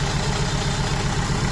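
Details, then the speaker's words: Renault Kangoo 1.5 dCi diesel after engine rebuild: fast, steady idle with a rhythmic shake and lumpy beat, one cylinder dropping out. Unplugging the used salvage cylinder-one injector changes nothing, showing it is dead; replaced with a bench-tested injector. "Вот, сняли фишку и ничего не происходит. То есть форсунка не работает."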